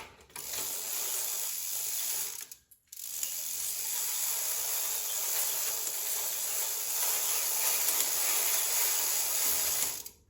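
Steady fast ticking clicks of the freewheel pawls as the cranks turn, even and free of rubbing; drivetrain running normally.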